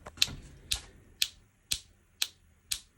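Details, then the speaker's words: Opel Astra H with cylinder-2 misfire code P0302: a new cylinder-2 ignition coil module on a spark gap tester, fired by scanner activation, gives crisp, even snaps about twice a second, a strong normal spark. "вибираємо катушка запалення другого циліндра і нажимаємо старт активації і вже чую що Іскра в нас є і доволі"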